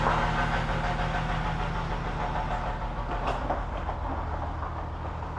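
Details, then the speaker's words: Ford EF Fairmont at steady idle, before replacement of the centre-section mufflers: a loose, tinny buzz pulses about three times a second underneath. The baffles seem to have gone in the mufflers. Exhaust muffler rattle. "It feels and sounds like all the baffles have gone in the muffler"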